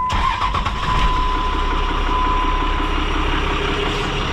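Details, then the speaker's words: Diesel truck started with the exhaust brake pin pulled: cranks and catches, thin steady high whistle over the rough idle, only on the intake side, the exhaust sounding normal; points toward the turbo, owner thinks it needs a rebuild. "still hear screaming it's still screaming it's really weird cause it's only doing it on the intake side"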